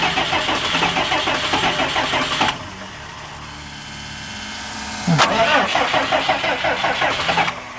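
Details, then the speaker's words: Diesel engine in an abandoned RV, after its fuel was drained: two long spells of cranking at about three turns a second without firing, as air drawn into the injector lines stops it catching until they are bled. "And I probably added a whole bunch of air when I was draining all that fuel out of there. Not surprising."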